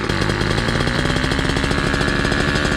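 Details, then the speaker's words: Motorized bicycle two-stroke with cheap chainsaw pumper carb, tuning start with low screw 1 turn and high screw 2 turns out: fast, busy rattle holding high with no drop to a lazy idle; idle screw set too high. "Idle is getting high, so I need to adjust the idle."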